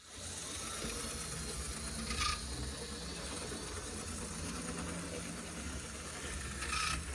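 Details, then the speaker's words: Dual-motor Tyco C630 Alco HO-scale locomotive, running a lap forward: steady small-motor whir with two brief scraping rasps as gears intermittently rub; cause not confirmed, reverse to be tested. "It's still not great. I think it only did it two times on that lap, but we'll flip it in reverse and see if it's any worse that way."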